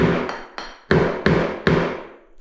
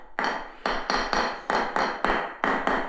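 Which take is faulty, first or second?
first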